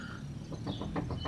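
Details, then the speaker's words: Nissan Frontier/Xterra steering, wheel shaken by hand: quick dull clunks, about six or seven a second, from slop in the front center drag link where it joins the pitman arm; worn drag link, to be replaced. "but you can actually hear it if I if I shake this enough actually about put the camera up here you'll hear it clunking"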